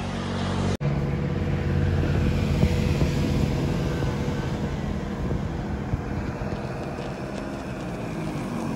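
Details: Yamaha 125Z two-stroke riding on the road, first run after engine rebuild (damaged conrod addressed, magneto checked), stock exhaust: pulling and easing off with no rumble when throttle closes, smooth; normal running.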